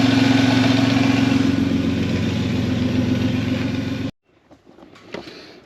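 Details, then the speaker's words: 3.4 L Toyota Tacoma V6 with belt-driven York air compressor, running after the mounting problems were sorted: steady, even engine with a smooth pulse, no clicking, clacking or belt shredding; normal running. "As you saw in the last clip, uh, she's running pretty good. Um, no clicking, clacking. I didn't shred the belt. Everything sounds good."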